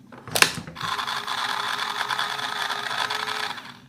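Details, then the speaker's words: T238 gel blaster with an optical MOSFET digital trigger unit on a V2 gearbox, set to prime when a magazine is inserted: a sharp click, then a steady motor whirr for about three seconds. Normal gearbox priming cycle. "Alright, it sure does. I don't know how many seconds that was, but it was certainly priming."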